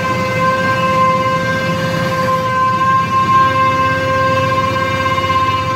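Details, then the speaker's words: Mini hydrovac slurry vac: supercharger believed from a 3.8 L V6 (M90 rotors likely) plumbed backwards as a vacuum pump, driven by a 15 hp Chinese motor; loud steady high whine over engine drone; normal running, just noisy, may get a muffler. "they do make quite a bit of sound so i might end up running the other side of that supercharger through a muffler or something out the side of the box"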